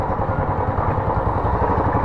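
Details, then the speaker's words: Royal Enfield Classic 350 BS6 after fixing valve guide noise causing tik-tik sound (not hydraulic lifters): even single-cylinder thump at steady revs, no clatter or ticking over the exhaust beat; engine sounds healthy. "Sound तो बिल्कुल perfect हो चुकी है, देख सकते हो।"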